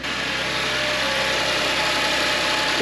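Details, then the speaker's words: 2010 Audi S4 3.0T supercharged V6 at first start after walnut-blasting the valves and reinstalling the supercharger, coolant not yet refilled. It settles into a steady, even run with a faint high whine, possibly the supercharger; normal running. "it runs it runs almost sounds smooth"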